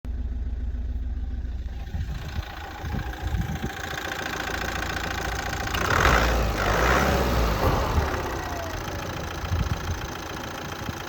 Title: Z17DTR astra rough idle, strange idle